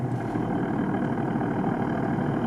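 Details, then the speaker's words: Built Toyota R154 manual in a daily drift car with a short shifter, poly mount and light flywheel, at idle: dense, gravelly gear chatter over a steady engine note. Harmless gear rattle from engine and transmission frequencies matching. "get a noise like that, and that's just gear rattle, so nothing too harmful. Literally, it's just like the frequencies from the engine and the transmission matching, and it's making the gears rattle."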